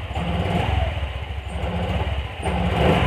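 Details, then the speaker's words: Honda Vario 125 single-cylinder scooter before an ECU reset: revs unevenly, sagging and lagging before picking up when the throttle opens, a throttle delay. Owner suspects weak fuel pump pressure or another cause. Cause unclear. "Nggak apa, nggak respon. Nah ini bisa disebabkan dari banyak faktor seperti yang saya bilang tadi, bisa tekanan full pumpnya lemah ataupun bisa hal lain."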